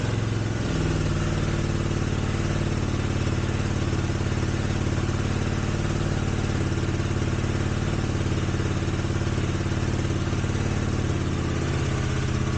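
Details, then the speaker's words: 1983 Honda GL650 water-cooled transverse V-twin, sat outside 30+ years, carbs cleaned, on choke: steady even idle, smooth low beat, no stumbles, knocks, rattles, smoke or coolant leaks; normal idle. "looks like a good engine starts right up doesn't smoke now this is after sitting for 30 years and it wasn't inside either it was outside somewhere"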